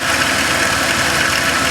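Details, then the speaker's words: 2006 Dodge Caravan engine idling with a fast, dry rattle from a worn belt tensioner pulley, before replacement. "okay guys you can probably hear the rattling coming from that tensioner pulley pretty bad"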